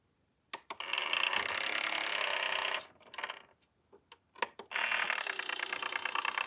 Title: SureFeed Microchip Pet Feeder - Loud noise when operating the lid